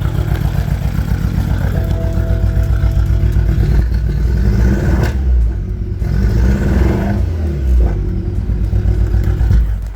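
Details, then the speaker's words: BMW 328i four-cylinder with straight-piped aftermarket exhaust, smoking heavily: rough diesel-like clatter pulsing through every rev, wants to die at idle; misfire, suspected blown head gasket or bad piston/cylinder. "yeah so it sounds kind of like a diesel"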